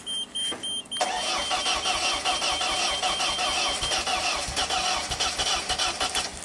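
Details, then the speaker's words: Ford-powered JLG boom lift, LP/gas, sat two years after tree fell on it, rodent-chewed wires; starter churns several seconds with a few firing catches but never runs, fuel pressure and injector pulse present; crank no start. "So it seems like it wants to start, and we have injector pulse, which is fantastic."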